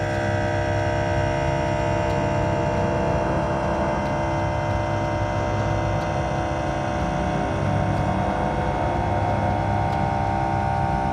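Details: Air Lift WirelessOne onboard compressor on a 2023 Ford F350 under extreme front-heavy trailer loading, filling LoadLifter 5000 Ultimate bags to 70 psi: steady motor hum, even buzzing drone, no knocks or grinding; normal compressor running.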